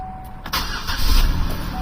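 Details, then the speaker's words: 2008 Buick Lucerne CXL 3.8L FWD after replacing the shorted ignition control module that caused P0300 misfires: a brief crank, then an even idle with no stumble or shaking, including in gear; a normal start. "Interesting. No more shaking, running smooth. Put it in gear. No more shaking."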